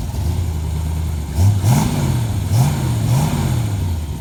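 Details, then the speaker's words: 1963 Corvette split-window, revived after sitting for years, now switched over to electric: deep steady V8 burble with smooth throttle blips climbing and settling cleanly; runs nice and smooth, normal running. "lock make sure the tires ain't messed up or nothing runs nice and smooth tying it back up get ready to go deliver it"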